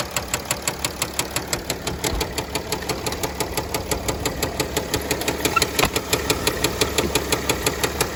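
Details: 2009 Mercedes ML320 with 642 diesel idling with a sharp, steady, heavy bottom-end knock about three per second; began after a 4-hour drive following an oil change with no oil on the dipstick; rod knock suspected, not confirmed.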